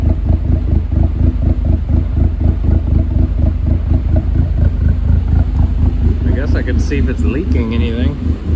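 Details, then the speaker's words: 2008 Dodge Caliber SRT4, abused project car, idling after a first start: lumpy idle pulsing about twice a second with a deep throb, no metallic knock. Owner hears a noise but can't tell if it's a bearing; cause unclear. "It doesn't sound great, but it doesn't sound like it's [Music] knocking. There's definitely a noise though."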